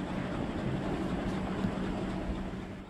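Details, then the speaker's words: Ceiling fan running after being taken down and its bearing oiled or greased to cure a grinding noise: only a soft, steady rush of air with no ticking, squeak or grind; the fan runs smoothly. "तो अभी आप देख सकते हो जो मेरा fan है इसमें सिर्फ हवा का आवाज़ ए रहा है बाकी जो पहले का आवाज़ था वह भी कुछ भी आवाज़ नहीं ए रहा है"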